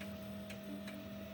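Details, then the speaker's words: 3D printer loading filament after preheat: quiet steady extruder motor hum with soft ticks as the wheel at the top spins, feeding filament that comes out the bottom; normal extruder feeding. "and as you can see at the top it is spinning the wheel to get more filament to put into the plastic part which is coming out of the bottom"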